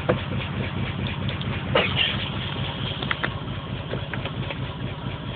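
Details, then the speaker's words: Engine with P0300 and pending P0300 random-misfire codes, solid check engine light, plugs recently replaced after old ones were black and fuel-soaked: uneven, lumpy idle with irregular stumbles. Rough idle with misfire. "okay so i got the po300 and the pending po300 so that's the misfire code so it's both misfires but it's not it's not saying what song it's misfiring at just telling me it has a misfire"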